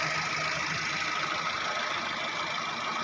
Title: Engine Misfire,Engine Oil Leaking,and Sound Underchasses system.